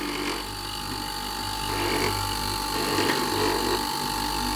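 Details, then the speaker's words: Whirlpool 8 kg heat-pump dryer compressor running; steady compressor hum with a thin high tone and faint buzzing rattle as a vibrating refrigerant pipe rubs another part; noise cured by moving the pipe slightly away. "Ok Now I have removed the noise in practice this tube with the vibration rubbed on this and therefore there was noise so it was enough to move it away just a little"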